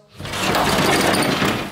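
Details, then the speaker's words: Glass sliding patio door being opened and closed: harsh grinding and bumping rumble through a two-second slide with no clean rolling tone, tight to close; worn, dragging door rollers, fixed by wheel replacement. "When I try and open up this one here, you can hear all those horrible grinding, bumping noises. When I try and close it, it's really tight to close."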